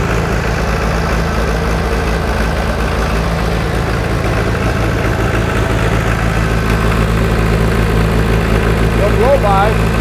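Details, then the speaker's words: 1960 John Deere 1010 diesel tractor, first run since budget engine rebuild, started on starting fluid without working glow plugs: steady even low idle thump, no misses or knocks; sounds good. "remember how that was smoking like crazy before sounds good"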